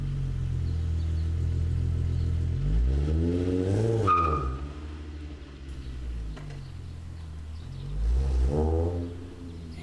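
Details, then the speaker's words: 1998 Volkswagen GTI VR6 with Magnaflow exhaust, driving: deep exhaust note rises and falls cleanly with the throttle through the revs, no knocks or rattles; engine and exhaust sound healthy. "so you can hear the magnaflow exhaust"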